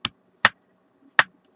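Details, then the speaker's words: DS18 SLC-X1150.2 car audio amplifier on the bench, after fixing crackling at a control knob: three sharp isolated clacks about half a second apart over silence; output clacking remains, cause not yet found. "mais il reste un problème écoutez vous entendez le claque"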